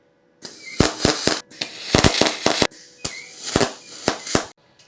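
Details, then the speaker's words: Beginner's basic MIG/MAG welder: arc in short bursts of loud sharp pops instead of a frying-bacon sizzle; welder suspects wire too fast, heat too low, or hand too far away. "i don't really know in which direction i have to go because it doesn't really sound like this frying bacon it sounds more like louder pops"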